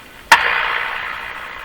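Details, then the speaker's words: Eaton's Universal Electrohome floorstanding tube radio: band-switch click from broadcast to shortwave, then only a soft hiss whose volume falls as AVC voltage builds, no stations; local oscillator not oscillating near 10 MHz, AM band working. "when I flip over to short wave you're going to hear the volume be reasonably High not high you're gonna hear the volume uh go down on its own just a hiss here we go"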